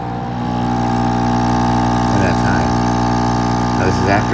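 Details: Active Aqua air pump, received used, before its internals are adjusted: constant loud buzzing hum with a rattly edge and unchanging pitch; the pump vibrates far more than it should.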